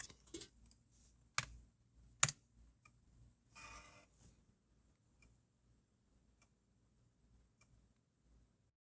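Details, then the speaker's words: PC floppy drive writing an 800k Mac disk via Greaseweazle: a few soft, sharp clicks at irregular spacing over near silence; noise comes from the disk shutter and hub, silent when pinched; normal head stepping during write. "By the way, that noise is only happening because of the shutter and the hub on here. If I pinch those, you'll notice it's totally silent."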